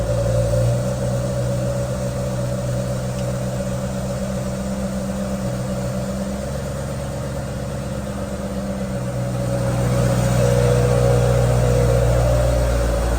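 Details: 20-year-old BMW 545i V8 manual, freshly serviced (spark plugs), deep even V8 burble at idle with steady rhythm, no ticks or misses; healthy idle.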